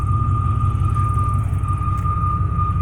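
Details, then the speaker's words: 1995 Chevy Silverado K1500 Z71, 415,000 miles, at idle: low throbbing idle with a steady high-pitched moan that goes away when the gas pedal is pressed and returns on release; source unknown. "it goes away when I press the gas pedal but but I remove my foot on my arm where my hand does that weird noise it comes back"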